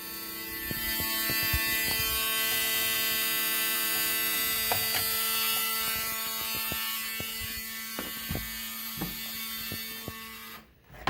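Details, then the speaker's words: 1974 Alfa Romeo Spider Veloce, 10K original miles, stored 30 years; cranking with spark plugs removed: steady whirring spin, fast even ticking, no firing; no fuel smell yet, fuel light went off; later leak found at fuel filter. "Well, anyway, I don't smell any gas yet, so I'm going to reassess. Fuel light went off. You can hear it cranking away down there."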